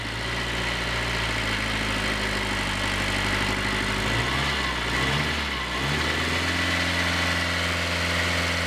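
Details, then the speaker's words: 1983 Ford Ranger with the 2.2L Perkins 4.135 diesel, after fuel additive was added: steady diesel idle clatter with a brief rev blip that settles back smoothly. It sounds better now but still needs a good road run. "I think I think this one needs a good run down the road those are bad sounds better now"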